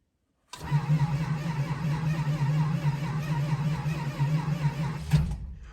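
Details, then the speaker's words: 1971 Dodge Charger R/T with 440 engine, cold start at about 9°F after sitting four months, possibly weak battery, finicky carburetor needing a rebuild, two throttle pumps: five seconds of slow steady cranking, even compression pulses, no firing. Cranks but won't start. "oh boy that's a very slow crank i think our battery's a little weak too"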